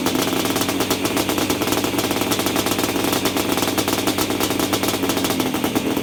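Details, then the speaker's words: 1987 Yamaha Banshee two-stroke twin, after carb clean (clogged pilot jet; left cylinder had been weak, only one pipe smoking) and carb sync: busy, crackling, steady even beat with no misfire or stumble; healthy running. "chess as you can tell the bike is running much better i did go ahead and sync the carbs as well"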